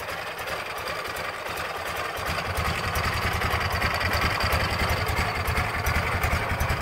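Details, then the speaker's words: 2006 Ural Troyka 1WD sidecar motorcycle, carbureted twin, oil-leaking gaskets recently corrected, cold start at about 38°F with a little throttle: an even, steady low putter at a slow cold idle, about two and a half beats a second, no knocks; normal and healthy. "of course the carbureted ones we always give them a little bit of throttle once they start to fire it is a little chilly out today it's 38 degrees or so out here"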